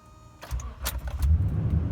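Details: 2014 Toyota Tundra 5.7L, about 85,000 miles, which has a hard start after sitting or when cold. Started the morning after the battery was charged overnight: a key jingle, then it catches within half a second and settles into an even low rumble. Normal quick start.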